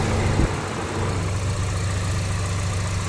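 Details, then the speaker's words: Kia Optima insurance-auction car with minor front-end damage, reported hail damage; low even idle rumble with a steady beat, no knocks, ticks or misses; engine sounds healthy. "Engine sounds healthy."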